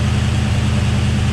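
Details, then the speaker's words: V8 fired for first time after rebuild with new crank and bearings, Mellings high-pressure oil pump, ARP head and balancer bolts: steady, even idle with smooth low rumble and faint light tick (owner suspects lifter tick until oil pressure builds); normal idle. "everything's just right it's fired up so much better it's running so much smoother than it ever had"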